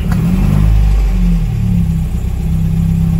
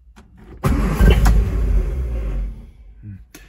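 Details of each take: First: 1958 MGA 1500 in top tune, cold start with choke pulled: deep, throaty four-cylinder catches straight away, revs cleanly and settles without misses; a healthy cold start. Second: 1958 MGA 1500 cold start with choke pulled but no throttle: the starter churns for about two seconds with no firing catch, then drops off; cranks but won't start, though it later started with the gas pedal down.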